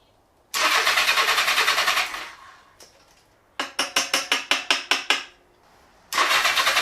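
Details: 1975 Honda GL1000 Goldwing, mechanical fuel pump bypassed and carb filled directly: two short bursts of rapid firing fade out between cranking, engine catches but won't stay running; a clogged main jet in the carb is later suspected.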